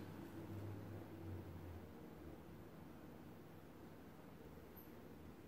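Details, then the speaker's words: 1931 RCA P31 portable radio powered up on batteries during repair: only a faint steady hiss with a low hum, no station coming through, sound distorted; volume control stiff and apparently not working. "No something seems a bit distorted but there is something now"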